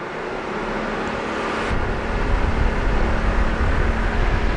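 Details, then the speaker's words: Renault radiator cooling fan switched to second speed during an air-conditioning check with the engine idling: a steady whoosh of airflow swells and holds even over the idle. The fan runs normally at high speed. "запускаем теперь вторую скорость также оно обязательно для эксплуатации нормальные автомобили"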